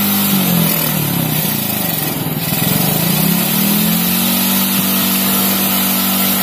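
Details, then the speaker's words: Carbureted motorcycle that sat unused for one to three months and was hard to start, after spraying carburetor cleaner: small single settles into a steady, even putter after a brief rev dip while warming up. Normal running after warm-up. "nah ini motornya lagi dipanasi lagi SD Biar apa ya kita lancar lagi"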